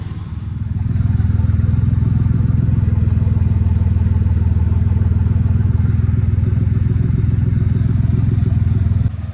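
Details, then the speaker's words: 1992 Ford Ranger XLT, 4.0 engine, 243,000 miles, running on a Mustang fuel pump used as a direct swap: steady, even low idle rumble with no misses, knocks or surging; the engine is idling smoothly. "it's live and for future reference a mustang fuel pump is a direct swap for rainbow"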